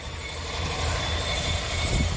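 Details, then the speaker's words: 2021 Ford F-350 6.2-liter V8 idling with a thin steady high whistle, unchanged with AC on; caused by a styrofoam coffee cup lodged in the engine bay, not a leak. "Sounds like a whistling, like something's leaking. Oh, here it is, guys. That looks like a styrofoam coffee cup."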